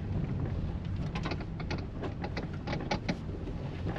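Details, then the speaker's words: 2012 Toyota Prius, possibly, driven slowly around a parking lot: irregular light clacks and rattles over a low rumble from the steering column, suspected lower column intermediate shaft, not yet confirmed; separate brake buzz also reported. "Oh yeah, all kinds of rattles in that steering column. Sounds like the lower column, like the intermediate shaft."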